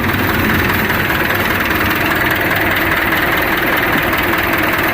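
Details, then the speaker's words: Kubota L1-265 tractor, 4-cylinder 26 hp diesel, 4WD, power steering, radiator fan blade replaced: starts easily without glow-plug preheat and idles with a steady, even, soft clatter, no knocks or misses, and no crankcase blow-by vapour; a normal, healthy idle. "เครื่องเสียงนิ่มนะเครื่องยนต์ไม่มีไอระบายเลยนะครับ"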